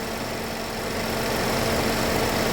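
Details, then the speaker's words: GMC engine after redoing the head gasket, idling: steady, even idle with a light fast ticking from the high-pressure fuel pump on top, which is normal. Nothing knocking or missing, runs great; warming up to check for coolant bubbling and heat. "so it runs great it sounds uh it sounds sounds amazing"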